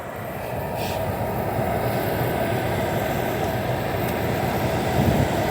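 Smooth, steady airy rush that builds slightly and holds even, no rattles or knocks; fan and compressor running normally at full setting.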